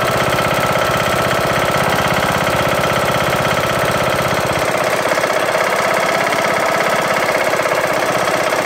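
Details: Briggs & Stratton single-cylinder lawn tractor engine, after replacing a broken camshaft and timing gear: loud sharp knock every revolution at fast idle; owner suspects misalignment, a loose part or wobble, unconfirmed.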